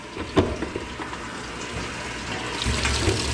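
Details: Used top-load washer on the normal cycle, cold selected, lid switch jumper just fixed, testing the inlet valves: steady rush of water after a soft click. Cold valve fills normally.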